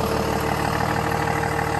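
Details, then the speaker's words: 2017 Freightliner M2 Champion Defender shuttle bus with Cummins diesel, 47,918 miles, idling in the cold: even, quiet diesel clatter with no stumbles or knocks; healthy idle. "Sounds pretty good. Nice and quiet."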